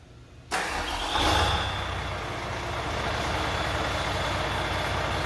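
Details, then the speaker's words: Volvo Penta D6 marine diesel started with the MPROP (fuel metering valve) unplugged to simulate failure: it fires into a fast idle near 1000 rpm, with a brief hiss and tone change as the fuel rail pressure relief valve pops off. "will open the pressure relief out at the end of the fuel rail you'll hear it pop off and then the RPM will go up to about a thousand rpm"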